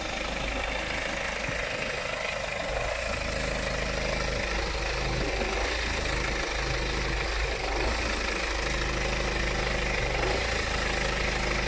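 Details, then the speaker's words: BMW 520d M Sport diesel at idle: rough idle with rpm jumping up and down, sometimes cutting off at traffic lights and needing a key restart; no fault codes or dashboard messages; traced to faulty fuel quantity control valve. "the only thing is i can see is just a rough idle and it's jumping up and down and i'm gonna mention again it cuts off sometime at the lights"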